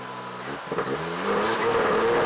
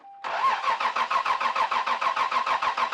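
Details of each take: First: 1992 Lexus SC300 1JZ that wouldn't start, suspected spark issue; after new spark plugs and coils refitted it catches, settles into a steady idle, then revs climb cleanly and evenly with no misfire; normal running and revving. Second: 1992 Lexus SC300, 1JZ, 5-speed, getting fuel and air but suspected of lacking spark, before plug replacement: two long cranking bursts at about three and a half turns a second, never catching: crank no start.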